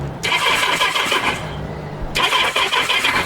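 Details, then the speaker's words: Kawasaki Z650B under restoration, battery fully charged: steady starter whirring in two bursts with no firing at all. Crank, no start; the owner suspects a tired starter clutch. "I'm not sure what's going on there I think it may be the start clutch might be getting a bit tired now the battery is fully charged so I'm not sure what's going on no nothing at all"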